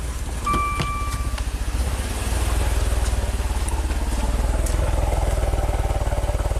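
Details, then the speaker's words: 2016 Maserati Ghibli twin-turbo V6 at 60k miles, started at idle. Heavy, lopsided pulsing with a raw-fuel smell and severe shaking, as if running on 3 of 6 cylinders. Misfire because one bank is out of cam timing. "Smells like raw gas. Shaking like crazy. Feels like it's running on 3 cylinders."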